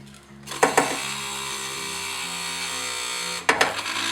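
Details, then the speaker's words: Early BMW E30 power window motor, refitted after disassembly and cleaning: motor hum that drags and drops in pitch, with clunks at start and stop, slowing when the button is held; motor still binding. "So, it still sounds like there's something binding in this motor. Um, it's definitely slowing down as I help hold the um mo uh window button."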